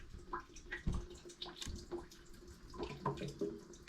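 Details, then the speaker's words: Full hot water tank draining through a hose before replacing a leaking temperature and pressure relief valve: quiet irregular gurgles and soft knocks over trickling water, with the level still above the valve. Normal draining. "It sounds like a little knocking. That means the water's coming down and it's gurgling."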